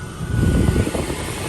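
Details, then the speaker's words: 2004 Winnebago Adventurer 33V coach heater blower, retested after reinstalling the missing fuse and before the resistor test: a steady low whirring hum comes up and holds even. The blower runs normally. "I hear it it works yes love it"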